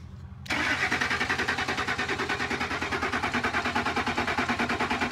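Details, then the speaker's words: Ford F150, starter cranked via remote starter button from underneath: even cranking about three beats a second that never catches, no fuel pump heard. "starts does not sound like we even have a fuel pump"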